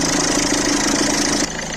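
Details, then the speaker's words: Citroën C3 1.4 HDi diesel after replacing the accessory belt tensioner and belt, started cold: steady idle with an even hum and no squeal or rattle from the belt side; noise gone, sounding quiet and healthy. "Allez, on y va. Ouh, plus de bruit. La gueule, hein."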